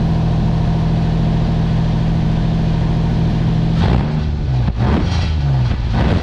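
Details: 2007 Nissan Xterra 4WD with about 209,000 miles idling and revving with a deep, loud droning, raw raspy rumble; a previous owner cut the exhaust pipe to make it louder.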